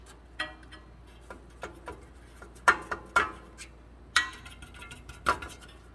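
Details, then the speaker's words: 2019 Nissan Rogue SV AWD on road test after rear brake pad and rotor replacement: sharp metallic rattles in scattered bursts; loose, bent exhaust heat shield. "put a hose clamp around that so that should take care of it yeah that's good Shield is bent too why I don't know"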